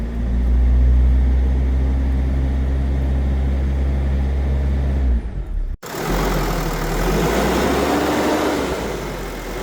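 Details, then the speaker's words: Mercedes Sprinter van diesel after alternator bearings, clutch pulley and brush pack were replaced: steady, even idle clatter and rumble with no whine on top. Normal idle, alternator whine gone. "And now you'll hear it that everything has been replaced. So if you listen to the vehicle now"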